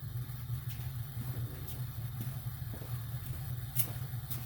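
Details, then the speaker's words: Well pump running after a wellhead pressure switch replacement on a 240 V system: steady low even hum with no chatter or clicking, having cut in right at 40 PSI; normal cut-in (before the fix, pressure fell to 25 PSI). "right, we win. Came on right at 40 PSI."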